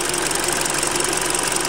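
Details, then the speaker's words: Hyundai Creta engine at idle before oil change to GF5 oil, louder than from factory; fast, even ticking over steady idle with bright clatter up top. Owner attributes ticking to injectors, possibly hydraulic lifters; cause unconfirmed. "И как бы все равно с завода мотор работал гораздо тише. То есть, вот цокот форсунок вот здесь, вот тут цокот форсунок."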